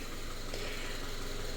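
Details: Subaru FB engine after a no-oil-pressure fault: paper towel from an oil change had clogged the oil pickup, cleared; smooth, steady idle hum, no tapping or knock, after running an hour and revving.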